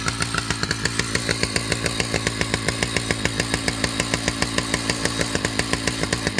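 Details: Husqvarna 2100 CD two-stroke chainsaw holds a fast idle near 214 firing pulses a minute, so the chain keeps creeping at idle. Idle is set a little high and the mixture runs slightly rich, which is audible at full revs.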